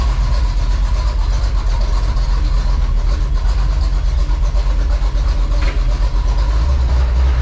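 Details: 1984 Chevy Silverado with the newly swapped 350, idling in gear while warming up on a cold day, with oil noted as fuel-diluted: deep, steady V8 rumble with an even beat and no knocks or ticks. Normal idle.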